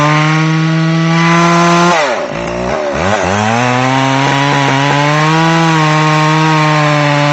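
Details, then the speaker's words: McCulloch Pro Mac 610 chainsaw on test cuts after clutch inspection and chain sharpening; high steady scream bogs briefly as it bites the wood, then climbs cleanly back to speed; running great. "all right well you can see the uh Pro Max 610 is running great"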